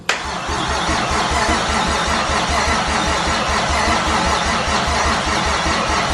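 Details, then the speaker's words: 1JZ engine swap at first start, coil packs plugged in and battery getting weak. Continuous cranking whirr with no catch: the starter is sticking and staying engaged. A replacement 2JZ starter is planned. "we were trying to start it without power being sent through the starter because the starter was getting stuck"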